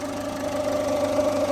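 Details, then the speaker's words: Ford Fiesta at idle, warm after a run: steady mid-pitched whirr from the belt drive; owner suspects the belt tensioner, possibly an idler or timing component, not confirmed. "So if we've got the belts turning, they're turning freely. But there's a tensioner just there. I think it's that that's making the noise."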